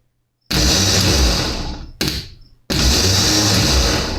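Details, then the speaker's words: Lawn mower starter removed and bench-tested: the body provides the ground and the hot lead is touched directly to the terminal. It gives a strong, even electric whir, spinning up instantly and coasting down freely, so the starter is good and the clicking fault lies elsewhere. "just like that that tells me that that starter is good"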